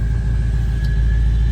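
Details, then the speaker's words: Built 6.0 Powerstroke V8 diesel after rebuild with high-pressure oil leak fixed, oil cooler, fuel bowl delete and most fluid systems reworked; started right up. Deep steady idle, even low rumble with faint whistle, no misses or knocks: normal idle. "So uh there was a a of stuff out in more or less every system as far as fluids goes um except for brakes and power steering was apart, so um thing sounds good"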